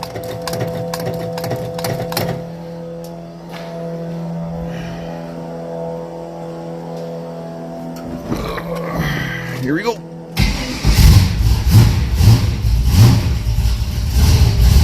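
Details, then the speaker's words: 1982 Pontiac Trans Am Crossfire Injection, cammed engine, sat 30 years, fired on squirts of fuel: lumpy, uneven, surging running while cold, settling as it warms. "Oh. Little cold-blooded. Most cammed engines are with a carburetor."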